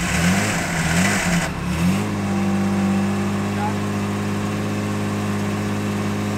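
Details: 1978 Jaguar XJ6 Series 2 barn find, stored since 1999, running after fuel tank refurbishment, cold: fast, slightly uneven idle, note wavering early then settling; needs setting up; rough running after long storage.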